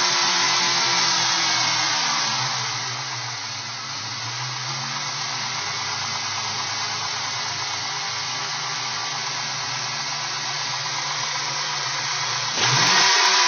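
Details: 2002 Ford Mustang V6 with Windstar intake installed, idling with a loud, steady airy hiss; vacuum leak at idle, later found and resolved.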